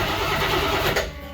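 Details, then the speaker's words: AMC 360 ci 5.9L V8 (salvage-yard Jeep J10 engine) swapped into 1976 AMC Gremlin: strong, even cranking, spins engine briskly with no dragging or hesitation before dropping away. Normal starter cranking. "I'll crank it over one more time, just for the heck of it."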